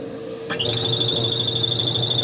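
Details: Electrolux LTC 10 washer with refurbished transmission, lid open and run direct: steady high-pitched whistling squeal from the drive during spin; liquid on the seal apparently ruled it out, noise seems deeper inside, source undetermined.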